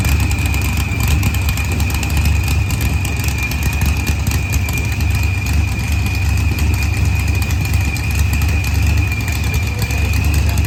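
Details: Green Challenger with a supercharged LS swap, idling after a head gasket repair, with timing locked at 30° for a timing check. Deep steady V8 idle with even rumble and faint constant blower whine; smooth and healthy.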